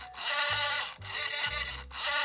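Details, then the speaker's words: Motor hand-held onto a cheap safe dial, spinning it: harsh, gritty crackle rising and falling as it turns. The dial's internal resistance makes the noise, not the motor; nearly silent once pulled off. "The reason it's so noisy is not my motor, it's actually this cheap dial. It's got so much internal resistance, it has that"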